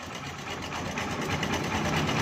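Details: Honda CB 125 at idle: fast, light sewing-machine ticking that grows slightly louder; noisy top-end clatter, source unclear.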